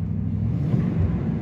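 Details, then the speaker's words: First startup after installing a new sensor and reassembling: engine catches and holds a steady low rumble, picking up smoothly with throttle; the accelerator pedal now works and the engine runs normally. "so here goes first startup [Music] [Applause] [Music] starts up let's see if the accelerator pedal works"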